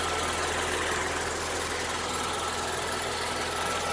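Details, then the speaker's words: 2008 Saab 9-3 2.8 L V6 idling after alternator replacement: steady, even idle with a faint uneven beat sounding like a slight miss, which the mechanics say these engines always have; normal. "It sounds like it's got a mist too. These always sound like that. Do they? Yeah. It's just the way it is."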